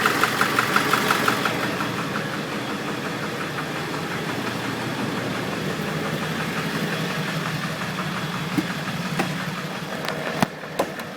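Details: Ford 7.3L Power Stroke diesel on a moderately cold start: a light, irregular tick about three per second fades in and out over the idle clatter, from the passenger-side valve cover area. Owner suspects a bad injector, unconfirmed.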